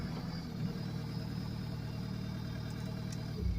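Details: Case TR310 diesel after reseating a partially unplugged injector harness connector that had caused open-circuit injector codes and a no-start: low, steady, even idle with no misses, knocks or rattles; normal idle.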